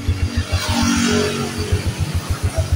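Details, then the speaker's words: Yamaha Jupiter MX motorcycle, engine untouched with body and covers still on, owner complains of exhaust smoke and fast oil use; uneven low clattery thumping at idle about six beats a second, uncertain if clutch or engine; worn piston and scored cylinder bore. "Oke kita coba hidupkan kita perhatikan ya nanti di sini memang ada sedikit ada suara ya di sini untuk di bagian mesin entah itu baru dari kopling atau dari mesin ya saya coba"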